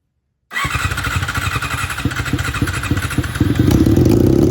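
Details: 1987 Honda CBR600F Hurricane first start with makeshift fuel line and carb bowls filled by bottle, open header: silence, then it catches at once and settles to a loud fairly even idle with a blip; runs fine.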